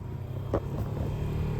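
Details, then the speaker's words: 1970 Ford Falcon heater blower motor powered for the first time after splicing harnesses together ahead of a first start. Steady low hum with an even whir underneath, no rattles or squeals; the blower runs normally. "We got a blower motor. Winning."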